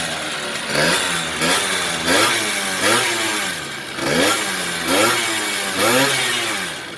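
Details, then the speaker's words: Two-stroke Honda Dio-based Baja scooter, parked one year, after carburetor cleaning; 47 mm bore, stock stroke, large carburetor: sharp blips roughly every 0.8 seconds, revs rising and dropping cleanly without hesitation; engine runs crisp and healthy. "ตุ้มเสียงดูดีชอบมากคันเร่งเบามือแบบ"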